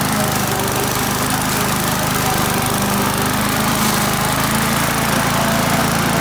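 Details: Australian-built Rover four-stroke mower after governor spring straightened: steady, even beat at working speed with no hunting or stumbling; running properly.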